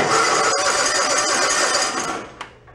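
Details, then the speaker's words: John Deere X360 mower, sat unused about 10 years, cranking with the coil wire disconnected. Loud rough whirring grind for about two seconds while cranking, then it winds down. The starter sounds horrible; cause not yet found. "starter sounds horrible uh let's go ahead another our other new coil we'll pop that on there see if we got spark"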